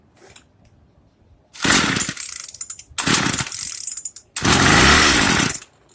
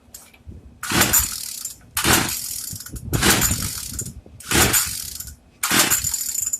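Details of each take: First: Craftsman two-stroke weedeater after regapping the spark plug: high buzzy note in three strong revving bursts, now starting and running, so the spark plug gap was the cause; it later cuts off and probably needs idle adjustment. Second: Craftsman two-stroke weedeater, once run a full tank without oil: five ratcheting pull-starts about a second apart, none catching; an internal piece broke off after running, so the engine is dead.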